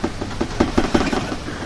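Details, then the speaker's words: GMC Acadia, after front control arm bushing replacement, noise from the rear underneath: sharp hollow metallic clunks about five a second, the exhaust banging against a loose spare tire that is about to fall out. "I did notice a noise in the back, so I figured I'd take a quick look back here and see what that was. Felt like the exhaust banging into something,"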